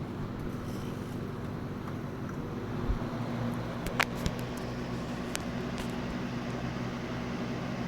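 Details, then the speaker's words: Lasko WeatherShield box fan, bought in 2017 and still working, on medium speed: a steady, even whoosh with a low hum and no ticking, rubbing or wobble; runs smoothly, likened to a Lasko 3733 on low. "Now, medium sounds like Alasco 3733 on low. Not going to lie."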